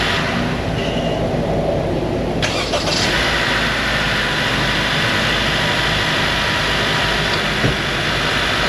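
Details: Honda car after starter work, battery just reconnected (starter fault was intermittent): starter cranks briefly, engine catches at once and settles into a steady, even idle; clean, healthy start.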